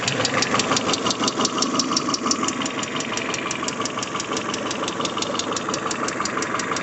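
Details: Peugeot 406 Coupe after a timing belt replacement, cold with coolant at 22°C: a sharp, light metallic ticking about three a second over the idle. It fades and almost disappears with throttle; hydraulic lifter tapping.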